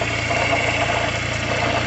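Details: Fiat Palio Fire 1.0 idling, alternator replaced under a year ago: steady rough growl with faint scraping; owner suspects alternator rear bearing, plans to lubricate it.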